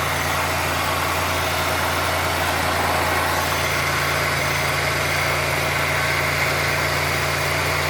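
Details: 1990 Oldsmobile Toronado Trofeo 3.8L V6 after adjusting lines, still warming up: steady, even idle with a smooth low hum and no hiss or stumble; owner considers it normal.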